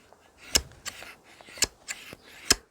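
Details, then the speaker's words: Garden hedge shears after sharpening, pivot nylon-insert nut backed off 1/8 turn, held to the microphone: three crisp metallic snips about a second apart, like barber's scissors, no scraping; correct blade tension. "the sound that you're looking for to adjust the tension. And you should be able to hear the same sound."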